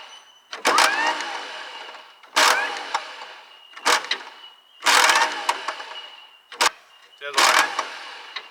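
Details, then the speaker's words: Allis Chalmers bulldozer with a Detroit Diesel two-stroke unstarted for about 20 years: five or six short bursts of high whirring with no cranking thump; the starter motor spins before its pinion meshes with the flywheel. "what's happening here at the moment is the electric motors engaging before the pinions hitting the flywheel so that's why she's making that noise"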